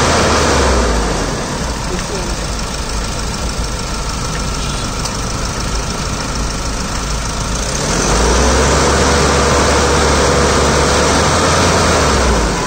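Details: 2012 Mahindra Scorpio SLE diesel idling with a regular knock-like beat about three per second that grows louder partway through; abnormal engine noise, source not identified.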